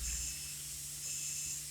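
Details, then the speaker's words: Cornerstone 45W motorhome auto-level leveling jacks: once jacks are partway down the system vents air, a steady high hiss as suspension air releases while jacks lower; normal operation. "and then shortly you're going to hear it let the air out because once the jacks are part way down it's going to let the air out of the system just like that and run the jacks down"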